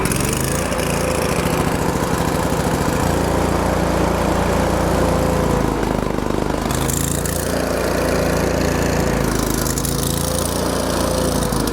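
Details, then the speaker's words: Miller Bobcat 225NT welder/generator, older Kohler engine, after the idle control module was fixed and an electric fuel pump added: idle pitch dips and climbs every few seconds. Low idle now engages; owner suspects a carburetor issue. "the only problem I see at this point is that there is a carb issue it's not quite idling properly if you heard it it was up and down a lot"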